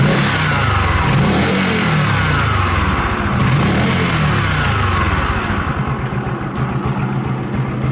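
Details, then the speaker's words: Bajaj CT 100 new model with 125 engine, revving up and down: faint whine rising and falling with speed like a gear or bearing rubbing; mechanic suspects the clutch side, not yet confirmed. "Yan mga boss, mayroon tayong ginagawang Badja 100 na new model. Meron siyang tunog na parang bearing na parang gear na sumasayad."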